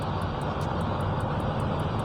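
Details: Evaporative air cooler fan after repair of noise caused by a slipping fan shaft, tested at speeds 1 to 3: a steady, even rush of air over a low hum with no scraping, rubbing or wobble.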